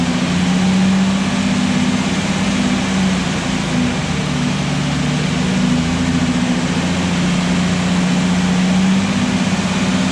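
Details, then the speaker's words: Restored Jurassic Jeep #73 engine running after reassembly and first start; steady even hum easing up and down as revs raised and lowered: normal. "so a successful morning took us about five or six hours but we made it so the jeep runs okay yeah very successful"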